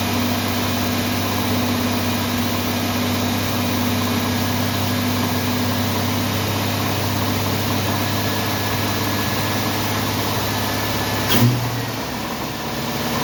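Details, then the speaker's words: 1990 Jeep Wrangler in neutral, after serious vacuum leaks were repaired: rough, shaky, lumpy idle that misses, shakes hard, then dies; engine misfire, cause not found. "sounds like he's missing shaking like the dickens and quit me so"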